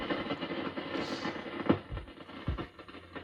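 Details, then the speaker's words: Recapped RME-69 communications receiver, RF and AF gain at full volume, band 1 only, band 2 silent: irregular sharp crackles and pops over low hiss; arcing in band-change switch wafer between RF stage and mixer, cleaning and corona dope didn't help. "that's the rfnaf gains at full volume on band one switch to band two nothing band One it's crackling away so I suspect default in this way through the switch"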